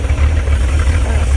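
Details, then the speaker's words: Abandoned Chevrolet C10 project V8 idling with good oil pressure: deep, even burble with a steady low rumble and no misses or knocks; a healthy idle that holds smoothly. "Oil's popping great. I think that's a pretty healthy motor if you ask me."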